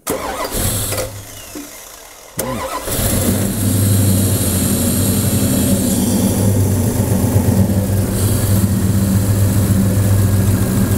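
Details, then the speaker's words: 1970 Chevelle V8, first start after swapping the Holley 3310 carburetor for a Holley Terminator EFI throttle body. A short crank and quick catch, then an even, settled idle while the ECU begins learning. Smooth, healthy cold start. "we're going to let this thing get up to operating temperature, give the computer a few minutes to learn some of the basics here, and I can't believe how smooth this thing is, how quickly it started up."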